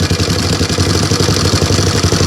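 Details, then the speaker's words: 1987 Honda 250X ATV, single cylinder, after petcock replacement and fuel screw set about 2 turns out: steady idle with light quick ticking on every firing pulse; valve chatter louder than normal, rockers to be adjusted to spec. "And right now it feels pretty healthy. Still pretty loud with the valves."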